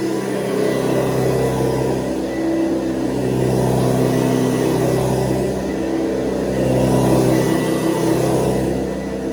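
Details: 1970s Hoover Convertible upright vacuum (the last model shown), running: a steady, fairly high-pitched motor hum, higher than the earlier model's low hum, constant with no rattles or surging; healthy high-speed motor, normal running.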